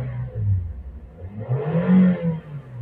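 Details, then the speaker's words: Toyota/Daihatsu with DTC P0172 (system too rich bank 1), fluctuating rpm and hesitation, after sensor cleaning/replacement and ECU reset, AC on: revs swell cleanly and settle without stumble, a crisp note indicating good combustion; normal revving. "suaranya beda ya jadi pembakaran yang baik itu suaranya cenderung garing"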